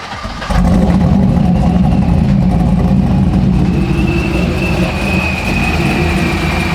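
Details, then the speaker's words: Honda Civic project car with stored codes for random multiple-cylinder misfire, starting up: uneven, loping low rumble instead of a smooth beat. Misfire, cause not yet found. "We got all these codes. Random multiple cylinder misfire."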